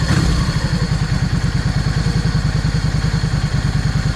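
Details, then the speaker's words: Yamaha 650 V Star after its jets were changed. Even, loping V-twin idle, a fraction too low, with no misses or knocks, as the idle is being adjusted up. Idles cleanly. "I need to idle this thing up just a little cuz it's idle just a fraction too low."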